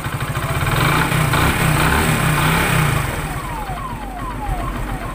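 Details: 2017 Hero Glamour single-cylinder bike idling after tappet (valve clearance) adjustment of a loose tappet: even steady thump at idle, no loose tappet clatter; normal idle.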